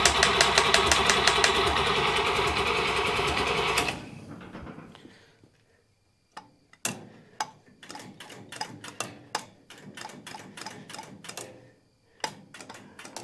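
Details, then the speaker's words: Buick Nailhead V8 vintage rail dragster after carburetor change: fast, even cranking for about four seconds that never catches, then scattered clicks; only a tiny accelerator-pump shot, fuel not reaching the carburetor; crank no start from fuel starvation. "got a tiny little shot of accelerator pump tiny it's not really working good"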